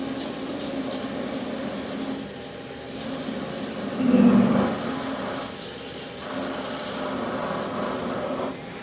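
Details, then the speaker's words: Peck drilling 17-4 PH stainless flange bolts on a lathe: a steady cutting hiss, then a harsh louder groan for about half a second as chips load up in the drill. "Oh man, I was cringing over here. You could probably hear that. It just sounded like the chip was trying to load up in there."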